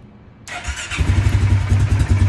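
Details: Polaris Sportsman 570 EFI ATV with a common no-start fault, key turned after closing the circuit: brief crank, then it catches and settles to a steady low idle. Now starts normally.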